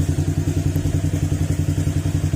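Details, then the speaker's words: Honda Click scooter after repair for oil starvation. Even, steady idle thump at about nine beats a second with no ticking or knock; the earlier rough noise and cricket-like connecting-rod sound are gone. "Okay, ayan mga sir, tahimik na, hindi na siya gar-gar, hindi na rin siya tulog connecting rod na parang kuliglig. Ayan, tahimik na uli."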